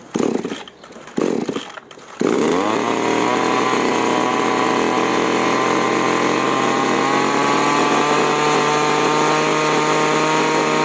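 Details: Chainsaw carburetor with H and L screws, set 1.5 turns out from seated, then tuned at full throttle; the spark plug was also found dead. It fires and holds a clean, steady high scream with no surging, so the saw is healthy at full throttle.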